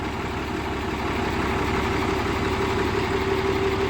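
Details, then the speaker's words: Tata 3118 BS4 Cummins diesel with SCR after injector repair, previously knocking and smoking: steady even idle, regular beat near three per second, no misfire or rattle; knock gone, smoke somewhat controlled. "आवाज में परिवर्तन यह पहुंच चुका है। धूम्रपान भी करें कुछ हद तक नियंत्रण में हाँ।"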